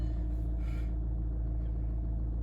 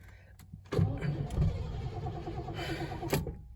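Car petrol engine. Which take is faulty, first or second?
second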